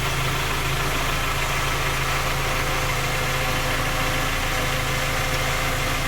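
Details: Skoda Octavia A5 facelift 1.6 MPI, engine knocking when cold despite three engine repairs that did not find the fault: even idle with a light, steady knock at roughly two per second; cause unclear.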